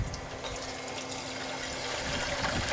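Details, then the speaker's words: Continuous waste motor and transmission oil distillation unit with reduced reactor reflux, about 390 degrees: sharp irregular pops and crackles over a bubbling hiss as water droplets in the mixed oil flash to steam. "now you can hear there's some both a droplet explosion because yesterday before yesterday I've been distilling some good transmission fluid"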